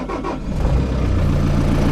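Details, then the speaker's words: Diesel Toolcat utility vehicle started cold after plug-in preheat, cab unheated: brief crank, catches within half a second, then settles into an even, steady low rumble with raised rpm until warm; normal cold start. "Maybe some of it. Brings up the RPMs till it warms up."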